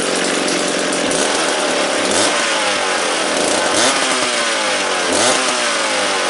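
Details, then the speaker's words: McCulloch Pro Mac 700 chainsaw running after its starter was freed and spark was confirmed. A steady, slightly lumpy two-stroke idle with a bright raspy exhaust: normal idle, though the carburetor probably needs a rebuild. "just nothing sounds like an old mac idol and i argue with anyone"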